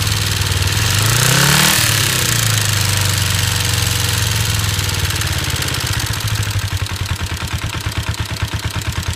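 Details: 1989 Kawasaki Ninja 250 after valve inspection (7 of 8 valves out of spec, spark plugs fine, cam chain tensioner cleaned): quick blip, then steady idle with a sharp knock about three times a second; cause not pinned down.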